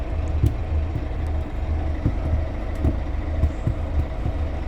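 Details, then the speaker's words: Ventura bus 1464 recorded from inside while running: a dull, low, somewhat uneven clicking about twice a second over the diesel rumble, likened to the bus on route 901; source not identified. "so choppy was just saying that this bath sounds a bit like the 901 because it's got this Clickety noise you hear that the Clickety"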